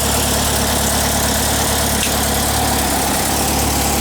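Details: 1959 VW single cab pickup air-cooled flat-four, just started after restoration and left to warm up. Steady, even chug with a smooth low throb, no misses or knocks. Normal, clean idle.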